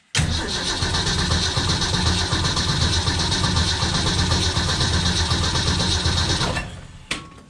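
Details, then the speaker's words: 1965 Ford Econoline van, stored since 2011, probably on points ignition: steady cranking about four beats a second for six seconds, never catching; no spark. "tell you right now there's no spark and that is a bummer"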